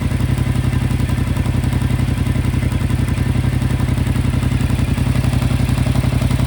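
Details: 2025 Yamaha MT-07 at 9500 km: a steady, even clatter of about four knocks a second rides on a low engine drone. It is an unexplained mechanical noise from the engine.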